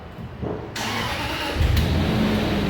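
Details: 2006 Range Rover Sport that sits too low and won't raise. Air suspension compressor hums steadily without cycling off because an air leak stops it holding pressure; the failed part was the air transfer relief valve.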